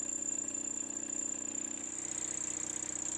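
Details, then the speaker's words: Milling tough steel, heavy heat and cutting oil smoking: high steady cutting whine changes partway through the second pass, wavering and roughening as the cutter dulls; possibly already near dull. "right there on my second pass you hear that change in the noise that's where i dulled the cutter it may be that the cutter was on the verge of dull anyway which is why this was cutting so tough"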